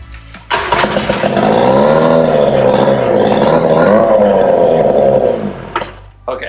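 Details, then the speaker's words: Kiekhaefer Mercury KE7 KG4 vintage hydroplane racing outboard, first start in over 25 years after basement storage, cylinders fogged before storage: bursts into life with a crisp rising and falling buzzy rev for about five seconds, then cuts cleanly; normal, healthy rev. "i mean i heard it rev i kind of want to do it again should i do it again yeah i'm gonna do it again"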